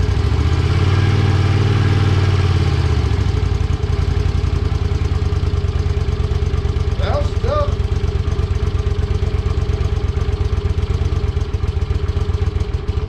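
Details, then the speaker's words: 1982 Honda Silver Wing GL500 cold start on choke after intake manifold repair and carb cleaning: catches and settles into steady, even fast choke idle, no knocks, misses or rattles; running healthy. "choke no choke what do you think no joke yeah let's hold on for a second let's choke it all right"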